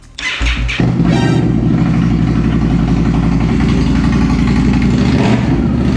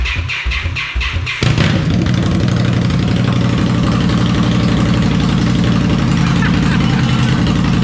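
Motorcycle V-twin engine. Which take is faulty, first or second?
second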